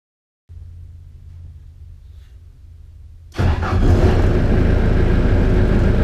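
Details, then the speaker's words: Bobcat 873G after reseating relays in the fuse and relay panel for an intermittent 15-02 traction lock error, cab lowered: low hum, then the diesel catches and settles into an even steady run with no knocks or misses; starts fine. "I'm going to power on the loader and then start the engine and hit the push to operate button and see what happens"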